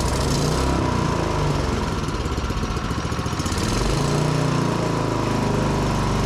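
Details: Yamaha YS624T snow blower after recoil and electric-start repair and carb cleaning, choked, medium throttle: small single-cylinder engine catches and runs at a steady, even chug with no misses or knocks; normal running.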